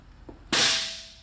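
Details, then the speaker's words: 2008 Mercedes-Benz S550 electric parking brake manually released by pulling the mechanical release hard with needle-nose pliers; one sharp metallic snap then a short fading ring as the brake lets go, wheel turns freely: normal release. "Yep, now it's popped, and this needle nose pliers helped me to release it. But you have to pull pretty hard."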